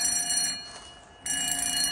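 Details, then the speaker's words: Fire alarm system test, bell: bright continuous metallic ringing with steady high tones, briefly dipping then resuming; bell works normally though not very loud. "doesn't sound the loudest but it works so let's go to silence"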